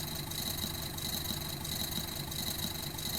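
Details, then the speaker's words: Car engine under steady acceleration: steady high whirring hiss from a dry, worn pulley bearing, on the tensioner, alternator, compressor or water pump. Fix: remove the belt and check each pulley. "definitivamente es un problema con algún balero ya sea de algún tensor del alternador del compresor o de la bomba de agua"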